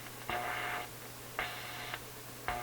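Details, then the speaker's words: Westinghouse 622 vacuum tube AM radio after tube and wiring repair: three rasping tonal buzz bursts about a second apart over a steady low hum; interference from a sleeping office computer's power supply about 25 ft away. "that sound that sound is the power supply in my office computer that's about uh I don't know 25 ft from here other side of my house and my computer's not on it's it's in sleep mode but as you can see the power supply is not really sleeping"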